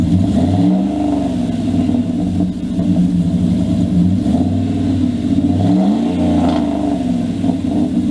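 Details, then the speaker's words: 2000 Dodge Dakota with aftermarket exhaust, after a quick clamp repair of a pipe that had rusted through near a hanger under the passenger seat: deep, even rumble with light revs and no ticking or puffing leaks; exhaust sealed and healthy. "well guys as you saw and heard i got my exhaust fixed finally"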